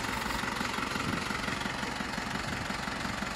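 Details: Isuzu D-Max 4HJ1 diesel after low-budget rebuild following overheating no-start, injectors bled: steady even idle, regular clatter about three beats a second, no misses or knocks; starts on one click, healthy.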